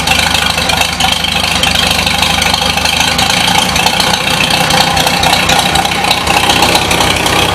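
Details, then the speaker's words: 1953 Super H tractor idling, not yet at operating temperature, blue flame up the stack: crisp, rattly exhaust chatter with a slightly uneven beat and a little spit; owner thinks it almost sounds lean. "I've never got it up to operating temperature but he sounds pretty happy here actually almost sounds like it's lean"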